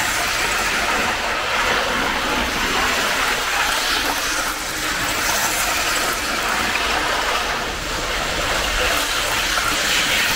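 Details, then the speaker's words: 1980s Hornby APT model train after a ringfield motor upgrade kit replaced its worn armature; a steady hissing whir with light rail clatter and no surging or grinding. The new motor pulls smoothly and evenly. "in terms of its performance it's fantastic it works an absolute dream"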